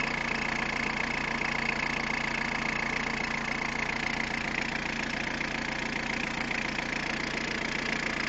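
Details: Peugeot 106 1.5 diesel (11/2002), 130,000 km, timing belt done at 73,000 km: steady idle with an even ticking of about three per second over the clatter; abnormal engine noise, cause not confirmed.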